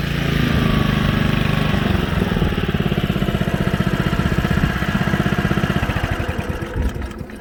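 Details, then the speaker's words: Old Honda HRA215 SX self-propelled mower after cleanup, running after it got a little wet: even, steady single-cylinder thump at constant speed, easing off at the end; runs smoothly with no misses. "Purrs like a kitten."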